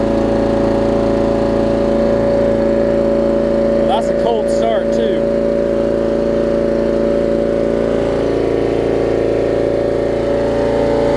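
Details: 30-year-old Murray riding mower with Briggs & Stratton Vanguard engine, revived with fresh gas, new fuel line and an oil change: loud, steady drone with even pitch, no misses or knocks; running smoothly and healthy.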